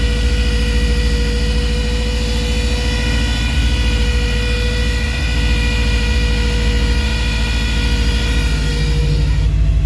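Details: 1985 GMC Sierra C2500 at low idle with a high steady whistle from a vacuum leak that cuts out partway as the leak is fixed, leaving an even idle.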